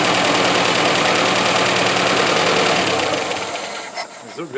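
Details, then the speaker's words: 1985 Iltis started on about 2.5-year-old petrol: quick even ticking beat, about 200 pulses a minute, over a steady engine note, dropping away at the end; healthy-sounding idle. "good good noise engine it sounds really nice"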